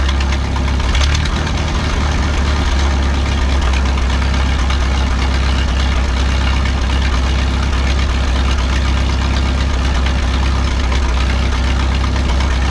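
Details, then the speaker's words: 1951 Farmall M tractor warming up after rebuilt carburetor installed, mixture screw about 1.5 turns out: steady deep idle with occasional dull knock; hesitation apparently fixed but new intermittent knock, sometimes loud, sometimes absent, cause unknown. "well I think I fixed the hesitation and sputtering issue but now I'm hearing an intermittent knock from the engine that I had not noticed before it doesn't do it all the time it only does it sometimes"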